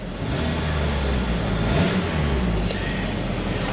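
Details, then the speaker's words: After clearing misfire codes with the key on and engine off, the engine is restarted. It revs smoothly and cleanly with no check engine light, no misfires and power back. The mechanic suspects bearing knock picked up by the knock sensors caused limp mode. "no check engine light no blinking runs pretty good no Mis fires got my power"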